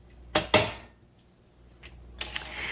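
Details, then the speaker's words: 1963 Olympia SM5 typewriter: crisp, separate ratchet clicks as the platen handle turns, one click every half line. Normal line spacing. "when you turn the handle, you'll hear the clicks, and that is a half a line. It clicks every half line."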